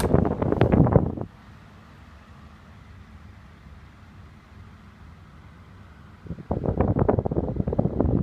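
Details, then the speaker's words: 1980s Galaxy Model 2150 oscillating table fan, missing cage clips, running on medium with oscillation on: soft even low hum between handling clicks, no ticking or scraping; runs smoothly, normal operation. "But we'll go ahead and we'll start it up on high. We'll turn on the oscillator. It's a great air mover."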